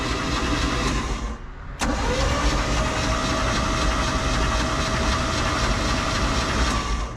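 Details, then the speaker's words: 1991 Four Winns Freedom 190 boat, OMC 4.3L engine, unknown history, bought at auction, oil looks poor; cranking on the starter gives an even whirr with no knocks, clatters or bangs, so the engine turns over freely and sounds healthy. "Uh, I mean, it sounds like an engine. I don't hear any loud knocks, clatters, bangs."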